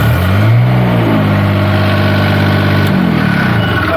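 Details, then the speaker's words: Niftylift HR17N/SP50N diesel after reconnecting the DST wire to cure error 27 CAN bus fault with random starting and no shutoff: even, steady idle with a smooth low hum and no knocks or misses; normal idle, stops fine. "stops just fine [Music] no problems at all"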